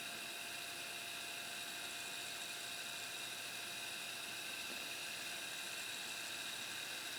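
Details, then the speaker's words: Harman Kardon CD 191 cassette deck after transport mechanism repair: steady high-pitched whirr of tape spooling at even speed, good rewind torque, no dragging, slipping or scraping; normal cassette rewind. "sounds like a good rewind torque so so i think we're good let's put it back together"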